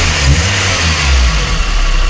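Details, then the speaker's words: VAZ 2109 petrol engine (also has LPG) after repair: valve clearances adjusted and a vacuum hose air leak fixed; it now idles evenly with no misfire, with only a slight tappet tick. "Ось так працює наш двигунчик уже нічого не троїть в принципі не дуже сильно і цоковіть стаканчики"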